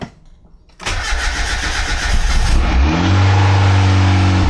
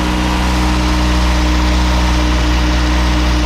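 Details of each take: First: Boosted Miata, first start after engine reinstalled, fuel pump primed and no leaks; starter whirs, engine catches into a low steady run then dies; good oil pressure, later runs fine, VVT problems remain. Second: Turbocharged Miata with the engine just reinstalled, with good oil pressure but VVT problems remaining; smooth, even idle with a steady low hum and no knocks or misses, running healthy.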